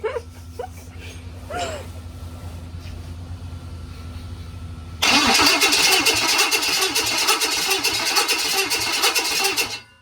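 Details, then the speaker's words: 6.0L LS engine on a stand, first crank with fuel not hooked up, testing standalone wiring: steady, even rapid cranking for about five seconds with no clicks or knocks; turns over normally. "That's loud. I think it sounds pretty good, right? Yep. I mean, I'm not hearing clicking or anything."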